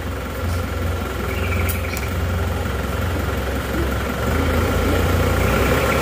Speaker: tapi kalau mesin Masih dingin kalau kita gas itu Emang biasanya Emang seperti itu keluar asap yang banyak